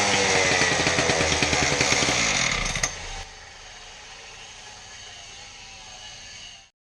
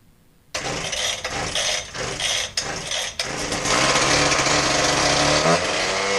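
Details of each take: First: Husqvarna K770 concrete power cutter after repair of bogging, with replacement part likely from a K760: crisp full-throttle two-stroke snarl, drops cleanly to steady even idle, then shuts off; runs healthy. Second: Husqvarna K770 concrete power cutter, new spark plug, cylinder unscored: catches, then surges and sags in ragged bursts before settling unevenly; bog from a fuel-related issue, customer complaint bogs out and dies.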